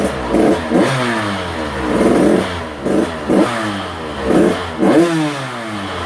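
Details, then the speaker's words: Husqvarna TC85 two-stroke after crank, piston and bearing rebuild, restarted and warmed up: crisp blips rising sharply and dropping cleanly to idle, power valve opening, revving out freely; normal rev-out. "Let's start it back up, warm it up a little bit, and I want to rev it out and just make sure the power valve's opening up and she's revving out just fine and everything."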